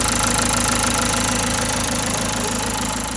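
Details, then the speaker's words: Renault Symbol after full engine rebuild, strange ticking began a month later; after tensioner swap, starter test shows steady even idle at about three pulses a second, no rattle or slap: normal idle. "Evet vergi değiştikten sonra test edeceğiz bakalım Marşı'na Bir saniye tabanca çalıştırmak basalım başka sorun yok iyi bu iş halloldu sonunda"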